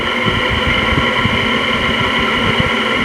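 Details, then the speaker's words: Free LG 5,000 BTU window air conditioner after cleaning: loud steady fan whoosh with constant hum and soft throb, running evenly; much quieter than before cleaning and quieter still once warmed up. "it certainly runs cleaner it was a lot louder than that and after it runs a little bit it gets a little bit quieter"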